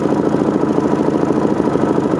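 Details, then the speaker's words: Motorcycle with Lectron Gen II four-stroke carburetor, choke pulled out for extra idle fuel to get it started: low thumping, slightly uneven idle with no misses; rich idle mixture, fuel screw needs tuning in. "we can get the bike running it'll write a low but at least it gets it running and then we get tuned from there okay start it up idling low"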